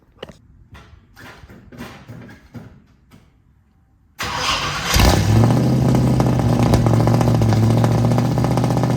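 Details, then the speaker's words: 1967 Ford Mustang V8 at startup with ignition timing still not right after fuel problems: lumpy loud idle with frequent irregular pops out of the exhaust. "I'll start the car up, it pops out of the exhaust a lot."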